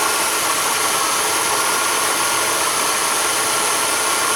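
Constant gritty scraping hiss over the running engine, no low rumble, steady throughout; that's a worn water pump bearing.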